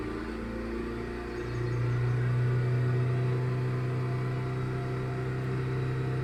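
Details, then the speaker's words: Hyundai i20 petrol that started then died, fuel pump only running briefly at ignition; ECM or fuel pump suspected: engine picks up and holds raised rpm under continuous throttle without cutting out; normal revving. "இப்போ பாருங்கள், oscillator கண்டினியூஸாக கொடுத்தாலுமே நல்லா run ஆகிட்டுருக்கு என்ஜினை."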